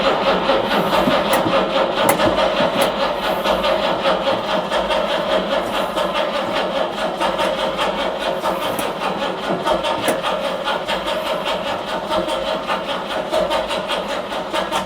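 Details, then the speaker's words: 1968 Jaguar E-type Series 1.5 after winter storage, warm day, new battery, original starter: starting fluid sprayed into each carb, then about fifteen seconds of slow, steady cranking that never fires. Cranks but no start; spark suspected, not confirmed. "Okay, I think we might have to check if we have spark."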